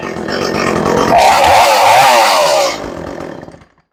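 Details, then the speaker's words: Echo CS400 chainsaw after carburetor tuning with air filter on and chain adjustment, fully reassembled: crisp two-stroke rising to a clean, steady high scream at full throttle, then dropping back evenly; healthy, well-tuned. "that thing feels good that came out really well now this is a pretty good little saw"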